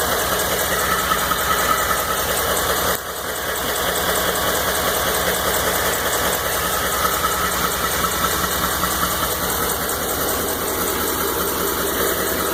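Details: 2012 Ford F-150 5.0 at idle: steady rhythmic knock about two or three per second over the running noise; engine knock, origin unknown.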